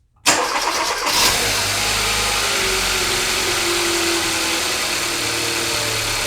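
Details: 2016 Kia Soul 1.6L after catalytic converter replacement for a P0420 code, checking for exhaust leaks: engine cranks, catches quickly and settles into a smooth steady idle with no ticking, rattles or exhaust puffing; normal start and idle.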